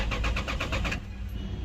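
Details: Lexus GS300 cranks but won't start, security light flashing, immobilizer code B2798: starter spins in quick even pulses about seven a second, then stops with no firing; ECU being tested.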